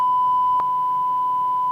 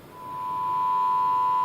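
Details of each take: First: 1990s Micromega Duo Pro 2 DAC, after repair of a background-noise fault traced to a dried-out capacitor: steady pure tone near 1 kHz, almost no hum or hiss, one brief click; output now clean. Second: Micromega DUO Pro 2 DAC with background noise at its output, playing a test tone at 48 kHz sample rate: a steady tone with a gritty crackle superimposed, a lower note audible, heavy distortion around 30% on the channel.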